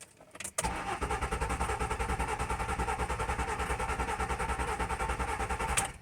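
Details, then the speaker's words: 2008 Mercury Mariner 3.0L after stalling: starter cranks evenly about three pulses a second for five seconds, never fires; no crank sensor signal, crankshaft position sensor suspected opened up from heat. "okay so there's no signal on the crank sensor or at the other so I'm going to unhook the PCM connector and see what the resistance is but I suspect it heated up and it opened up"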